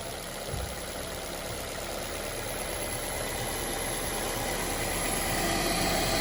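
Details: Honda S2000 with Kraftwerks Rotrex supercharger kit, just converted from cogged belt to 8-rib serpentine belt with tightened tensioner, fired up: steady, even engine note climbing gradually without knocks or belt squeal; normal running.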